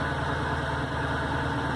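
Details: 2003 Crown Victoria LX (CVLX), bone stock, with a lumpy, loping, uneven idle like a big cam. Owner suspects a warped OEM Ford intake manifold. Rough idle, cause unconfirmed.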